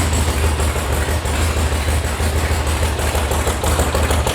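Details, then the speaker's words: VW air-cooled flat-four sand rail after electronic ignition install and carb tune: steady, deep even idle while warming up, idle rising as it warms, oil pressure 50, healthy. "As it warms up, the idle is obviously going to go up. If you've ever worked on cars before, or like tuning them, you know, as they warm up, the idle increases."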